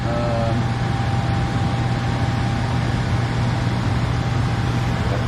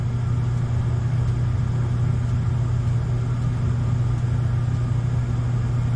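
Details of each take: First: Furnace after replacing the transformer, control board, blower motor and capacitor, with no filter fitted yet: a steady low hum and even blower rush, with no cycling, surging, rattles or overheating; the furnace is running smoothly and normally. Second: Gas furnace on the new control board, old blower motor: it had to be hand-spun to start and then runs slow and sluggish with a low steady hum and dull drone. The start capacitor or a worn motor was suspected.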